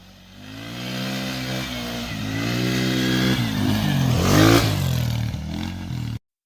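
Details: Quad with a 125cc GY6 single-cylinder engine, running again after the head with a bent, sticking valve was replaced: it pulls up through the revs smoothly and evenly, with no misses, knocks or rattles. Healthy under load.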